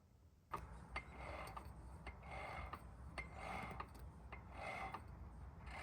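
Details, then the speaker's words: ESS G3R supercharger returned after refresh, rotors hand-spun: faint dry rasping rub with each slow turn, about once a second; it still makes the noise, but the earlier play and clunk are gone. "It still kind of makes that noise, but I definitely don't have"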